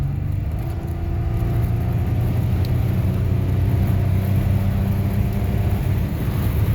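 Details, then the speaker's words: 1989 Chevy Celebrity, 205,000 miles, automatic transmission after service, road test under full-throttle passing gear: steady engine and road rumble with no flare or surge, downshift grabs firmly and locks into gear; normal kickdown, no slip. "No slip. Locks right into gear when you let off of it. The transmission is happy as could be again."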